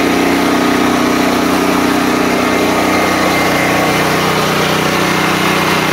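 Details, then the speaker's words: DuroMax XP13000EH hybrid portable generator on gasoline, after bypassing faulty fuel selector switch that starved carburetor and caused surging: steady even drone, no hunting, running smoothly after brief initial surge while fuel line filled. "so the carburetor was pulling pulling more and more and more until it eventually evened out and it started running pretty much smoothly"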